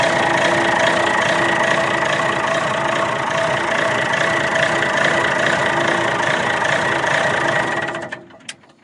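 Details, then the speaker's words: 60-year-old Clark Michigan 55A loader, believed repowered with Perkins 354 diesel, after cold start: even diesel clatter at steady idle, regular beat, no misses or knocks, then shutdown; runs well though a part is leaking heavily. "So as you can see, fired right up. This thing really does run quite well, but that is leaking at a rate of knots there."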